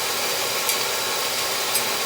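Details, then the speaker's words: Oil boiler burner after fitting a smaller hollow-cone nozzle, bleeding, and setting draft and air band: soft, even hiss of flame with no rumble or pulsing, far quieter than the former roar; normal burner operation. "Shift the fire right up, nice and quiet. Hear it? Incredible. That sounds like a monster before."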